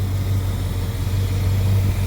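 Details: Engine running after replacing a noisy fuel pump, the noise traced to the old pump: a low, steady idle rumble with an even beat and no misses or surging, running normally; a slight leak was noted afterward.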